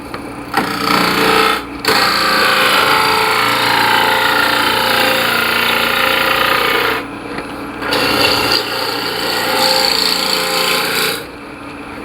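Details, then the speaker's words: Sharp gouge on the lathe turning soft poplar for a sphere: steady, even hiss of long shaving passes with brief breaks between cuts, cutting cleanly with no tearing. "This is just poplar. It's really soft wood. Should be tearing it to pieces, but it'll cut really well if the tool's sharp."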